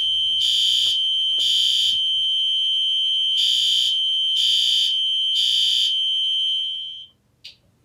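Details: Fire alarm test in a basement: a horn/strobe sounds loud, high-pitched temporal-pattern blasts, about three and a half per second, then cuts off. It is working normally.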